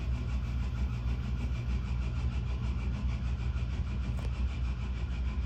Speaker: there you go yep the bearings are terrible just shut off it is what it is cheap Chinese garbage inside the pipe to suck out the Heat the berries sound like trash